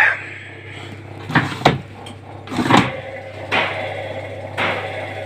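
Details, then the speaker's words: Indesit washing machine whose drum won't turn, on a wash program: motor surges in short bursts about once a second instead of running smoothly; brushes seen sparking, worn brushes suspected and to be inspected. "почему он пульсирует"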